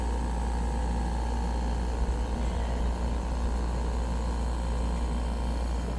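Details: Atmos 4.4 15k BTU RV air conditioner/heat pump (made by Gree), just after SoftStartRV installation: deep, steady low compressor hum with fan rush on top, no clatter or stalling; compressor runs evenly.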